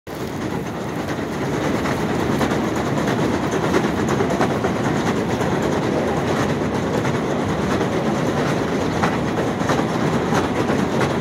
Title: New York City up-close - noisy escalator, 11/21/18